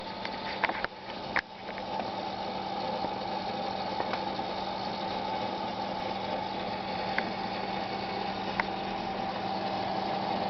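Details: Seagate Barracuda SATA 2 5400 rpm hard drive with a strange noise that started lately despite passing software tests: steady low hum and higher whine broken by occasional sharp clicks; abnormal drive noise.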